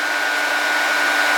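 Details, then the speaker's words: Project HEEP electric cooling fan on a new relay, wiring fixed to reverse its polarity so it blows the right way: even, steady rush of air with a faint hum and no rattle or scrape; normal operation. "okay so you hear it running and you guys can see that it's going the right way now blowing our little slip of paper in the right direction"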